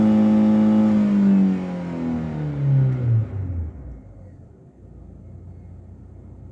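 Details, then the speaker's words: 2013 Ford Ka at operating temperature in neutral, revved three times to 6,000 rpm and released; engine note falls evenly back to a steady idle with no stumbles: normal rev return to idle. "accelerate three times up to six thousand RPM after every acceleration completely released the accelerator pedal and wait for the RPM to decrease"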